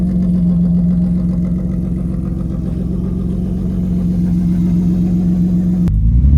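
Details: BMW E34 Touring revived after 10 years sitting in a field, engine swapped in with E36 harness, manual conversion, 3.23 differential, first runs after install; even low idle hum, brief rev rise near end, no knocks or misses. Normal idle.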